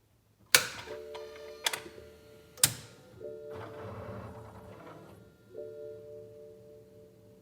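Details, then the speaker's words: 2009 BMW Z4 35i with a charged battery: three sharp single clicks a second apart with a dash chime and no cranking; failed starter/solenoid unit below the rear intake runners, clicking audible from the cabin. "okay so you probably would have just been able to hear a click a click a click it's actually a pretty loud distinct click you can hear it in the cabin of the car you push the button and the only thing that happens is a click"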